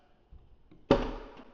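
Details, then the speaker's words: 2013 Ford F-150 custom truck without door handles, touch-sensor passenger door: faint click, sharp pop as the door popper releases, then fading push from the door opener; normal door popper and opener operation. "door popper, right? And then this is the door pusher opener."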